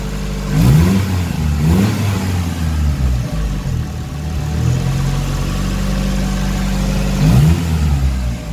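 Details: SR20DET turbo engine in an Escort at operating temperature, after fixing stalling following revs over 3000 rpm, caused by too little distance between the MAF sensor and turbo: three clean blips return to a steady idle; normal rev and idle.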